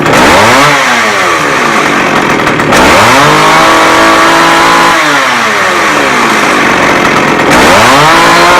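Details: McCulloch 610 chainsaw after carburetor cleaning, high and low screws set half a turn out, started on choke. A loud two-stroke buzz climbs and drops cleanly through revs with no bogging; it runs well.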